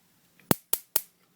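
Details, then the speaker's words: Grillmaster 4-burner gas grill electronic igniter, newly assembled with the battery fitted positive side up: three sharp snapping clicks in a quiet room as it sparks normally. "Okay, this is the igniter, the electronic igniter. It just unscrews, and you can see it's got a slot in there. Positive side goes up, a little bump. Slide that on there. Slide the little spring around it. Push it. And if you listen, you'll hear it clicking."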